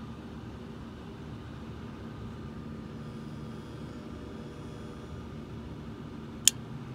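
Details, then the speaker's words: Refrigerator compressor failing to start: steady fan whir and low hum, then one sharp click as the start relay's overload cuts the start attempt; suspected bad start relay, possibly bad compressor if clicking persists after replacement. "hear that okay that's a compressor trying to start"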